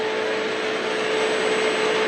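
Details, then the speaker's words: Taco boiler circulating pump motor, bearings failing, greased via an added grease port, fan cooling it: constant mid-pitched whine over a steady rushing hiss, speed unchanged; worn pump motor bearings. "It sounds like we're still running. So Friday, it's not gonna be running for long. Friday, I put that grease port in and greased this motor."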